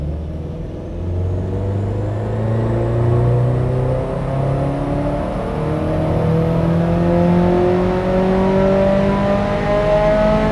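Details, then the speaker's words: Subaru WRX STi on Haltech ECU, full-load dyno run with ignition dwell cut from 2.5 to 1.5 ms: clean, steady pull climbing smoothly through the revs, no stutter or popping; same power, no misfire. "OK so that second run there, we've gone from 2.5 milliseconds down to 1.5 milliseconds. And the point of that demonstration is you can see that we made exactly the same power."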